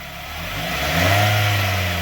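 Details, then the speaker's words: Car revved after removing a loose metal piece under the car that was held by a failing clamp and caused a metallic rattle: short, smooth rev with no metallic rattle underneath; rattle resolved, normal rev. "And problem resolved."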